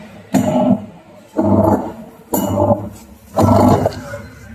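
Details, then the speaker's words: Haier top-load washing machine: loud roaring groan from the gearbox on every agitation stroke, about once a second; the worn brake or a loose pulley is suspected but not confirmed. "ये देखिए दोस्तों, इसमें अजीब सी आवाज़ आ रही है। इसमें मुझे लग रहा है इसका या तो ब्रेक घिस गया है या तो जो है इसका पुलिया जो है ढीला है।"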